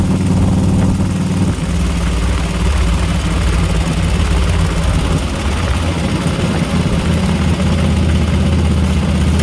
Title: what is that, horrible ticking sound? 2004 flhtcuise 103